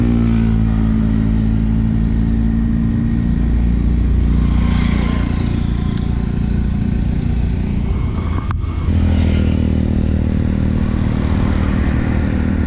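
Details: KTM Duke 390 single, noise that began suddenly mid-ride: light metallic clatter riding over the exhaust note, following the revs while running and revving; faulty cam chain tensioner, replaced.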